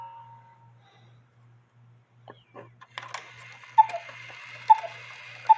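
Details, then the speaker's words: 1950s Poppo musical cuckoo clock with count wheel, new bellows fitted; faint ticking then sharp strikes about every second with no tune following; the music box U-bar is stopping the governor fan, so it needs slight adjustment. "And you can hear the music's not playing, and that's because that bar is stopping that governor fan."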